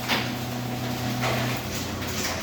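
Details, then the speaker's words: Garage door opener with a motor under half a horsepower, run on a Predator 8750 generator powering a house: steady low motor hum with door rattles and even pitch, no slowing or bogging down; works fine. "It's just a tiny motor in there. It's not even a half a horsepower. So yes, it can work. There, it's working just fine."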